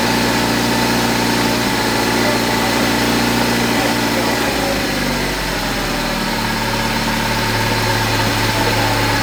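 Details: 1973 Triumph Spitfire small four-cylinder, first start after sitting three years, after reconnecting wires and hoses and checking distributor, carburetor, filters and thermostat: steady, even idle with a smooth low hum, no knocks or misses; runs healthy.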